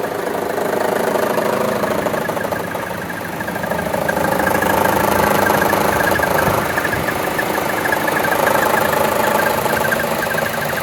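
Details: 2014 Chevy Cruze 1.4T, 71k miles, idling with the AC on: uneven pulsing of about three to four beats a second, a rough shake under AC load. Vacuum diaphragm and check valve are intact and there are no DTCs.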